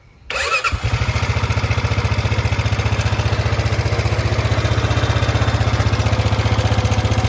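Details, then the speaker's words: 2006 Honda Rubicon TRX500 ATV idling: starts easily, steady thumping idle with light ticking, valves slightly noisy but better than expected; cracked throttle position sensor suspected for its running problem. "you can hear it idle valves are a little bit noisy but not nearly as bad as what I was expecting"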